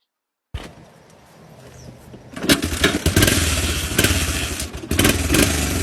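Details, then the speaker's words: 1986 Honda FourTrax 250 ATV, valves needing adjustment and spark plug leaking, possibly cross-threaded: single cylinder fires up and runs rough and wicked loud with an uneven beat. "Definitely does some wicked loud noise in that thing."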